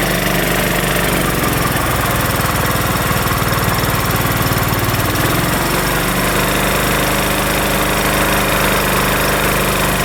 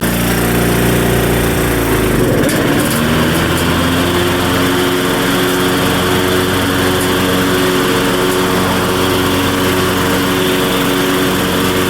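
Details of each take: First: Craftsman LT1500 riding mower after a linkage was tightened, plus blade, deck, drive belt and battery work and valves needing adjustment; loud, steady, even engine beat with no hunting or surging, running smoothly at constant speed, sounding far better: normal running. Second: Craftsman LT1500 riding mower, single-cylinder engine, blades just sharpened and refitted: runs fast and steady, settling after a blip but staying high; idle sounds high, governor nut appears previously turned, owner checks governor adjustment.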